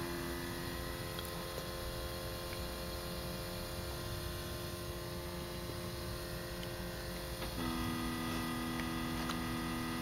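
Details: 2012 Scion tC, two months old from the dealer, parked with the engine off five hours after driving: a steady low electrical buzz/hum from the rear near the exhaust/fuel pump area that steps louder partway through. Cause unknown.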